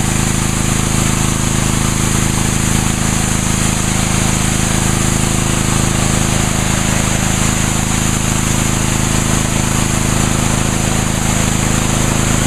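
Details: Brand-new Ryobi 3100 PSI pressure washer, 91-degree day, washing the patio with water only, 25-degree nozzle; loud constant engine drone with hissing spray, holding speed smoothly under load with no stumbles.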